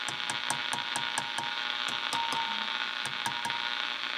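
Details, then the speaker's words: Motorola 68L11 radio with a substituted tube: sharp ticks roughly twice a second over a thin, steady ring while the set warms up at start; it rings less badly than the original, but the substitute is still microphonic. "okay so it still rings but not as badly as this one does and it does do that same so ring when you start up"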